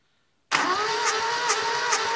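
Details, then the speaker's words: 1975 Satoh Elk 550G four-cylinder liquid-cooled gas engine cranking during a compression test: starter whine with a sharp hiss about twice a second as the tester's failed O-ring doesn't seat; it still reads about 120-125 psi. The engine has a dead miss on cylinder 3, blamed on a bad spark plug. "Yeah, I can hear it hissing there. Yeah, she's leaking, leaking by there."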